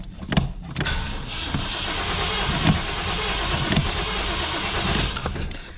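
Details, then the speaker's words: 1985 Buick Riviera 5.0L 307 V8, 85,000 miles, fuel at least 15 years old: repeated cranking with sputtering catches that never settle into a run; it needs ether to start. "It does require some ether to get moving. The fuel in there has got to be at least 15 years old."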